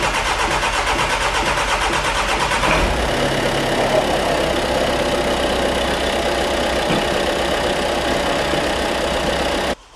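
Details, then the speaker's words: 6-month-old VW Transporter diesel van, about 3,000-3,500 miles, misfuelled with petrol and run until it stopped; after priming fuel pump, cranks about three seconds, catches and settles into uneven lumpy idle from petrol left in injectors. "oh bit lumpy go on get the petrol out oh she's a she's a bit lumpy go on get the petrol out I hope it's not permanently lumpy"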